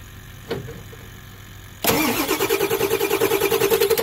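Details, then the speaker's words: 1999 Ford F-350 7.3 Powerstroke diesel, AMSOIL 5W30, diesel with cetane booster, cold first start after a year's storage: brief crank, catches first try and settles into an even diesel clatter at about three pulses a second; healthy. "first turn first try guys"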